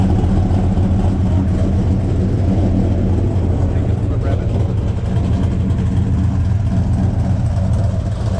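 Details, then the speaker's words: 1972 Buick Skylark 427 on first fire and break-in, after a loose cylinder 8 exhaust rocker was found: a deep steady V8 burble with even rev rises and no knocks; it sounds healthy. "yeah what do you think sounds awesome sounds good"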